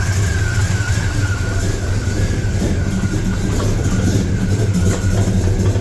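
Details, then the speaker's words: Truck V8 with mild cam and 850 CFM carburetor, not warmed up, good vacuum, steady alternator whine; uneven, lumpy cold idle from an untuned carburetor, sounds better once fully warm. "you can really hear the bad tune cold on this end. It sounds a lot better once it's fully up to temp obviously, but I mean I like it."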